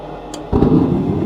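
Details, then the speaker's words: Goodman furnace GMEC960603BNAC after replacing burners: sharp click, brief pause, then soft whoosh as burners catch at once and settle into a steady roar, lighting quickly: normal burner ignition. "wow that happened quick so just like that replaced the burners it was very easy"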